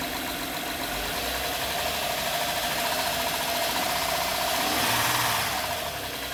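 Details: 2011 Honda Pilot at idle, customer complaint of strange engine noise and stinky smell: fast fairly regular light tapping about four per second; engine knocking, engine looks normal, source not pinned down.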